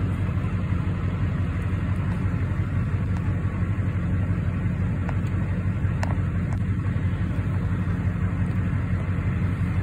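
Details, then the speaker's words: 2006-07 Chevrolet Duramax LBZ diesel just started cold, about 70°F outside, with fresh oil (340 miles). High idle is enabled through truck programming at about 700 RPM, versus a normal 400-500. Deep, steady, even rumble; healthy. "so this is the high idle turned on from the truck programming as you can see I just started the truck it's about 700 RPMs"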